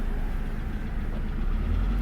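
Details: Abandoned Hyundai Tiburon running for the first time in years, about to be driven; low, even idle rumble with steady beat, no ticking or knocking: normal idle.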